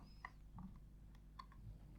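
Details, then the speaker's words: Sony D-ES51 Sports Discman bought as faulty, run with no disc: faint, sparse ticks and soft clicks as the laser lens hunts up and down. The mechanism works; the owner suspects a burnt-out laser because it won't play discs. "no i can hear the laser trying to read it okay so she's still doing the same thing just try that without the disc in"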